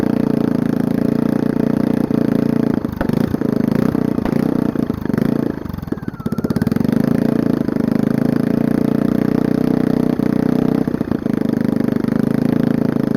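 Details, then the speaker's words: Small single-cylinder generator engine that sat for years, run with muffler removed on a rusted header pipe, air filter on: loud open idle that stumbles and nearly dies before recovering; owner suspects the choke, not confirmed. "so even with this air filter on it still has trouble idling i think it has to do with the fact that this choke i don't know so something weird going on"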